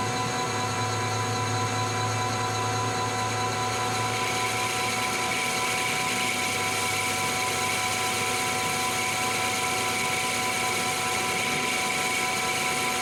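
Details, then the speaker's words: Lathe facing hardened and tempered 4140 chrome-moly steel at slow spindle speed, 0.025 depth of cut; steady hum with harsh gritty hiss, finish not great, higher RPM to follow; poor surface finish from low cutting speed. "[Music] all right so not great let's uh go higher RPM see if that improves things"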